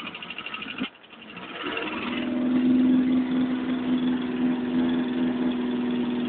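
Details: Engine after repair: a steady, even idle with a smooth constant tone that settles in after a brief dip, no knocks or misses. The engine is running healthy.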